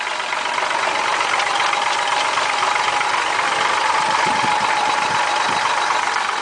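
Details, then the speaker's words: 1967 Ford 300 inline six with 2in exhaust and welded glass packs, idling: steady idle with a light, loosely regular top-end rattle along the valves over the engine hum; owner says it doesn't hurt anything, runs smooth and even. "starts right up every [Applause] time little rattle R along the valves there but doesn't hurt anything I kind of like"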